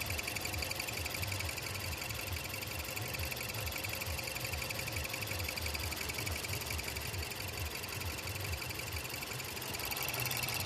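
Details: Mazdaspeed6 petrol engine idling with a fast, repeating high-pitched chirp over a steady low rumble; the owner doesn't know the cause.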